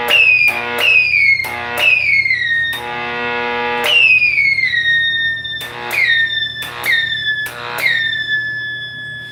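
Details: 1960s General Electric black-and-white TV, back off, powered up after a tube was replaced: low steady hum under repeated downward-swooping howls from the speaker; audio circuit still faulty, more than one issue suspected, cause not confirmed.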